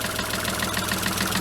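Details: VW Polo 1.2, bought as non-runner, first start after new sump, gasket and tensioner and oil fill, auxiliary belt refitted: uneven lumpy idle with a stumble every few beats, engine shaking; running rough just after start-up, cause suspected, not confirmed.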